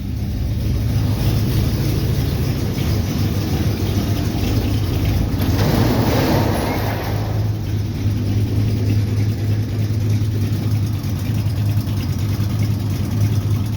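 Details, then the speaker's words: Cold idle of a broken-in engine after about two weeks sitting, fresh oil change, oil pressure 45 rising above 50 PSI and 35 at cold idle; deep rumbling, uneven lope about three beats a second. Motor has loosened up and lopes more than before; exhaust leak on right side (head pipe or manifold gasket). "Some nice lope to it. This motor's loosened up since I broke it in. Before it was had a lot less lope to it, and now it's definitely lopey."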